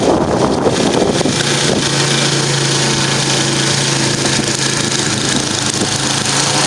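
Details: Murray 10 HP 29-inch snow blower after rebuild, performance test: small single runs at steady, even drone without misses or knocks; normal running.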